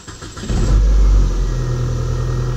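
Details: 1993 Nissan Altima that had a crank-no-start fault starts right up once 12 volts is supplied directly. It catches within half a second, flares, then settles into a smooth, steady idle, confirming the relay as the cause.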